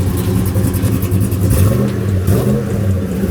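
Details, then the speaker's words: Chevrolet Trailblazer SS started after sitting, battery needing replacement, kill switch deactivated: deep, uneven rumble with a lumpy chop and small pops as it revs; runs rough with popcorn-like popping, cause not identified. "you hear that chop? Sound like you got a little popcorn going on."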